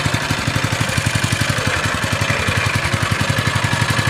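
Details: GX160-type single-cylinder engine after valve clearance adjustment (sizes 10 and 25) for weak, rough running: pulses at a quick, fairly even beat with no ticking or clatter; valve train quiet, normal running.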